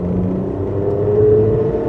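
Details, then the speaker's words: Daewoo Matiz just through its MOT, pulling away: a faint steady hooting tone over the engine drone; a slight, peculiar exhaust howl, source not pinned down. "a slight howl to the exhaust it's um very peculiar but nonetheless um uh nice i think overall"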